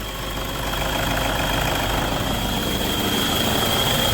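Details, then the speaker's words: 2009 Toyota Innova diesel idling: rough metallic rattle and steady high whine from the gearbox from starting; clutch release bearing balls disintegrated, noise changes with clutch pedal, strong smell reported. "കണ്ടോ ഭയങ്കര sound ആണ് ട്ടോ starting സമയത്ത് തന്നെ gear ബോക്സിനകത്ന്ന് ഭയങ്കര sound ആണ്"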